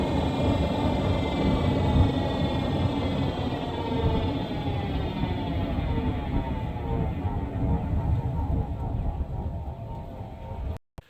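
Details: 2017 Nissan Rogue on the road: a constant high-pitched whine from the rear over road rumble, never stopping and dropping in pitch as it slows. Rear differential coupling whine; fairly sure it is not a wheel bearing.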